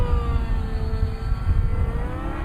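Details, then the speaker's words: Nitro RC helicopter engine during loop with collective then off: high note sags slightly under load and recovers evenly, no rasp or stumble; clean, healthy mid-range transition. "And as you can hear, that's a very clean, smooth transition. There's no raspiness or anything like that."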